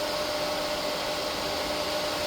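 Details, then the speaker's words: New replacement auxiliary booster ("whisper") pump for a pressure-side pool cleaner, after the burnt-out one was replaced: so quiet you can barely hear it, smooth constant whirring hiss with faint steady hum, no rattle or grinding; normal running. "It's so quiet, you can barely hear it. So that's all right."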